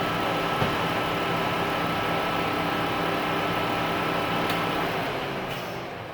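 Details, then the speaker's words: Chrysler/Dodge minivan 3.6 Pentastar, after oil cooler repair, during coolant bleed, engine just shut off hot: soft hissing, bubbling wash with faint crackle fading out; coolant boiling inside the engine. "Because we can hear the coolant. Hear that sound? So that's the coolant boiling inside the engine."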